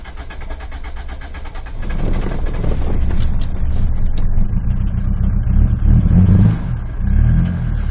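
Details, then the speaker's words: 1996 Mitsubishi Pajero, 2.8 L 4M40 four-cylinder diesel, automatic, warm: after stalling it cranks a couple of seconds before catching, then runs rough and shaky; hard starting caused by the injection pump front seal, later replaced. "and now when I try and start it it'll take uh quite a bit of time to start so you heard it start immediately before now"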